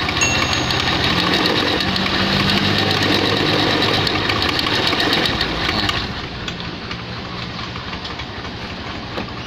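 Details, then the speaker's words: Honda Beat F1 automatic scooter idling with coarse, rattly roughness from the CVT; suspected from overly extreme racing rollers fitted, not confirmed. "disini mengalami masalah pada bagian CVT bunyi Hai kasar seperti ini"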